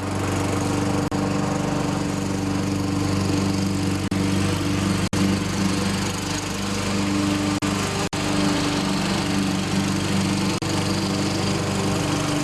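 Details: Toro self-propelled mower, 6.5 HP Tecumseh engine, after carburetor cleaning, new spark plug and fresh fuel (bad plug and old fuel blamed): steady, even drone with constant pitch under load, no misses or surging; normal running.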